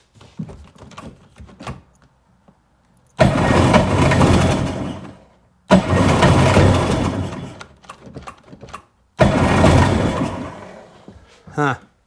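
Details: Sea-Doo engine after carb line repair and clamping, three cranking bursts of about two and a half seconds each, spins evenly but never fires; lots of fuel coming out, compression check next; cranks but no start.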